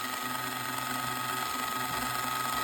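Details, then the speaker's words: MARBLTRAK marble booster with a 550 motor being tuned: a steady high motor whine over a rattly gear buzz, louder than it should be. The gear mesh is set too loose. "is too loose there's a happy medium that's super quiet right there you hear that"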